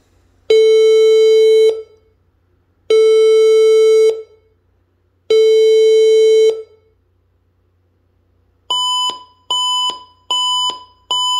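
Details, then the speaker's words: HP all-in-one computer at power-on: three long low beeps then four short higher beeps, repeating; caused by a power adapter too weak for the computer. "hey guys today i want to show you on how to fix a problem with a hp all-in-one the three beeps followed by a four short beeps"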